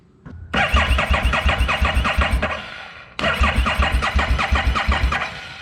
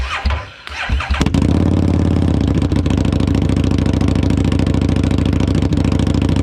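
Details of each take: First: 2017 Harley-Davidson Street XG750 fuel-injected liquid-cooled engine on a test stand after shipping damage: two cranking tries of about 2.5 s each that never catch; no spark because the kill switch was not energized. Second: 2017 Harley-Davidson Street XG750 fuel-injected, liquid-cooled engine on a test stand, run after shipping damage, fuel pump submerged in a makeshift tank, coolant not connected. It cranks, fires after about one second and settles into an even V-twin rumble with no knocks.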